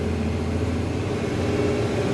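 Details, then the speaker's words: Spierings SK1265 AT6 six-axle mobile crane, road test after repair (driver reported bang and power loss): steady, even diesel drone under load, smooth boost note, no whistles, hisses or knocks; normal running under boost. "She's running pretty good. We're boosting fine. We got no noises. Driving fine."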